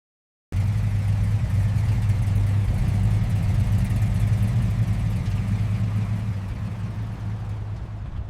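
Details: 1950s truck abandoned for decades, first start after restoration: the engine catches and settles into a steady low rumble, firing evenly with no knocks or rattles.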